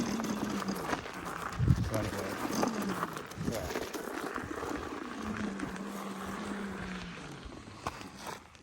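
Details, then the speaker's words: Electric bike hub motor, ridden at slow speed downhill on technical trails under slow braking, at higher voltage: faint whirring hum that sags and rises while braking, happening every time; hub motor noise when braking, cause not yet known. "so when I slow down on that slow speed foreign downhill one more time like slow breaking uh technical Trails it does it all the time"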